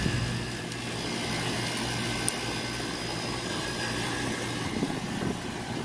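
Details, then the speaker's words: Rooftop HVAC unit in cooling mode after the breaker was reset for a blank thermostat, compressor drawing 5 A and blower motor 1.1 A: steady airy rush and low even hum, no rubbing, squeal or rattle; normal blower operation. "anyway we're cooling we're running we haven't tripped a breaker yet"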